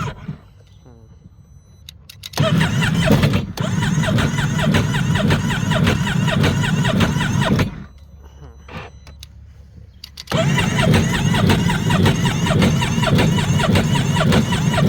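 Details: 2017 Sea-Doo Spark just after replacing injectors and spark plugs: two long bursts of steady starter cranking, about two turns a second, with no catch or firing; cranks but won't start.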